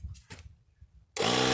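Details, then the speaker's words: 12 V tire inflator powered from the Hulkman Alpha 85's 10 A / 150 W DC port kicks on with a steady, even buzzing hum; runs better than off the truck's cigarette lighter. "Now it's running. You can hear it running. And this actually runs better off of this unit than it does if it was plugged into my cigarette lighter in my truck, because this is a 10 amp or 150 watt DC plug."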